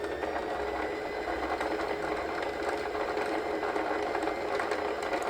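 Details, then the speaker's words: Yamata sewing machine after repair of a stiff needle bar, faulty bulb wiring and a broken spool pin: smooth, even motor whir with a light rattle and no knocks while winding the bobbin with the handwheel pulled out. Normal. "이 북실을 한 5번쯤 감아서 꼽고 우측으로 밀어주고 페달을 밟게 되는데 이 기계는 폴리 바퀴를 잡아당기면 바늘은 움직이지 않고 북토리에 북실만 감게 되어 있는 이런 구조입니다."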